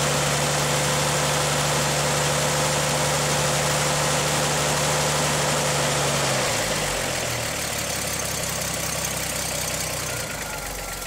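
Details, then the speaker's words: 1959 GMC six-cylinder truck after exhaust manifold work, started once the fuel pump began pumping: smooth, even idle with no puffing or ticking, settling to a lower, slower beat after six seconds as it idles down; healthy engine. "Oh, that sounds so much better The fuel pump is now pumping"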